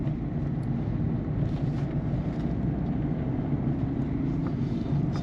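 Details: 2008 Peugeot 207 1.4 turbo diesel 5-speed manual, test drive after replacing sway bar links and setting tire pressures to fix clunk over bumps: steady road rumble, no sharp knocks; front suspension sounds normal.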